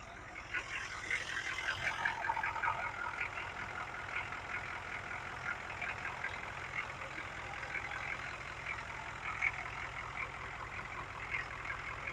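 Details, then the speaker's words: 1972 GMC Jimmy with Detroit Diesel engine, just after starting: steady, even diesel clatter at idle with no misfire, knock or stumble; smooth healthy idle, starts easily even after sitting for months. "pretty awesome guys even if this thing sits for a couple months he just starts right off every time talk about reliability"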